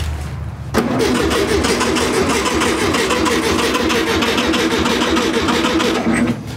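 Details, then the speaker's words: 1968 Volkswagen Beetle barn find, sitting over 20 years: starter turns the engine over evenly at three to four beats a second but it never fires; no spark, green wire to the distributor and sloppy ignition switch suspected. "there's no spark but like i said this green wire and i'm going to keep going after the screen while it goes to the distributor there"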